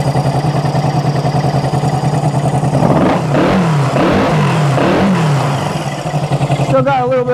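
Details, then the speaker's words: Four-carb motorcycle started cold on choke after sitting over a month and a half, with fuel dripping: steady lumpy idle with a soft puffing tick from a small exhaust leak, otherwise sounds good. "an exhaust leak can't really do much about that right now still sounds good"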